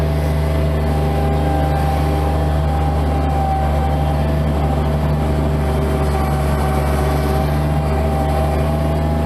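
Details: Bobcat MT85 mini track loader diesel, under load with a full bucket, after belt tensioner replacement: even steady drone with no chirp or squeal; normal running, the squeak that occurred only under load is fixed.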